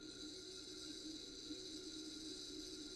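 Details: Bose 3-disc CD changer spindle motor, bench-powered from power supply during disc-not-spinning repair: steady even high whir, one pitch, no catches or rattles; motor spinning freely, normal.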